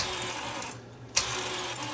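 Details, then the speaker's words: Sony SLV-R1000 VHS VCR, gears oiled, cover off: light steady whirring chatter with a sharp tick from worn plastic reel hubs and gears; only replacement would quieten them. "the hubs are getting a bit noisy but we'll try that again there's not a heck of a lot I can do to quieten that down as when you get plastic parts that start to wear out itth they sometimes get a bit noisy"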